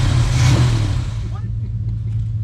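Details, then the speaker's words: 1968 Chevy El Camino SS 396 V8 with Positraction, sitting since 2011 and now running on high-octane fuel: a deep, steady V8 rumble pulling smoothly while driving, with some wind early on; clean, even and healthy. "man it sounds good everything no it's cool man"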